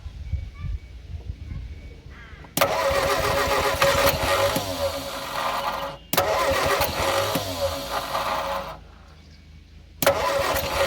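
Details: Abandoned blue Morris Minor with no throttle linkage, cranking on whatever fuel remains in the carbs: long bursts of steady starter churning with ragged catches now and then, never settling into a run; cause not confirmed.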